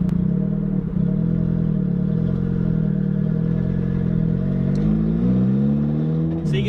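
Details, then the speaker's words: Mazda Miata after clutch replacement with six-puck clutch, engine held around 1500 rpm while clutch slips and catches on its own, slight judder on engagement then smooth pull-away; normal six-puck clutch take-up shudder. "you get a little bit of shutter there. That's just inherent with the six buck, and you're on your way."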